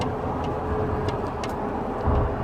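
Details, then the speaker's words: 2013 Toyota Tacoma double cab, short bed, second generation: irregular light ticks and rattles inside the cab on the driver side, under the steering wheel, over a steady running drone. Likely a loose trim or dash part. Cause unknown. "hey guys this is Gabriel right here my second gen Tacoma I had this weird rattling noise coming from underneath the inside of my cabin driver's side anybody has this rattling noise please help me out"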